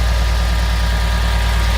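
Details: 2013 Mercedes GL550 (X166) after replacing the AIRMATIC compressor and valve block: steady engine idle with a faint even compressor hum; the loud buzzing from the front right at cold start is gone.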